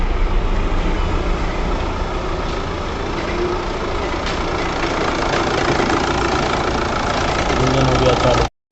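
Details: VW Passat no-start fixed and reassembled, now starting; steady, even drone for several seconds with no stumbling, knocking or grinding, healthy idle.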